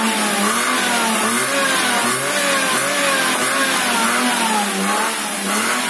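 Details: Daihatsu Ayla being revved after recovering from water in the engine: revs rise and fall smoothly with clean pitch changes, no misfire, stumble or knock. It pulls evenly, and all is declared normal.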